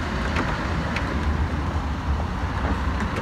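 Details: Car cabin while driving after Würth silicone spray on door joints and rubber seals to stop trim crackles: only a steady low road rumble, no squeaks or rattles; cabin quiet.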